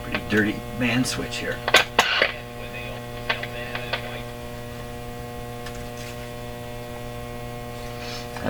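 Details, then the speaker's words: RCA Victor Model 911KG console tube radio with motor-driven tuning: a loud, steady, low buzzy hum that doesn't change with volume, with a few clicks at first. Noisy controls are suspected to be passing DC. Loud mains hum. "a mean hum. Why are you humming so much? Kind of a buzzy hum."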